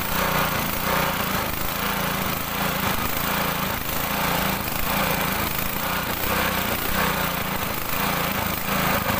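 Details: Honda GX200 single-cylinder engine on a water pump, running after a no-start fix: steady, even chugging beat with no misfires or stumbles; normal running.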